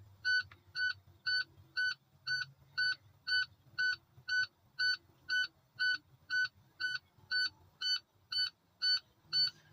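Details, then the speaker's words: Tractor-trailer with air leak, engine off in accessory, during CDL pre-trip 60-second air brake test: buzzer pulses twice a second as low-air warning trips, light and buzzer came on at 65 PSI while pressure bleeds down. "This truck has an air leak, so we may hear the buzzer and see the light before our 60 seconds is up."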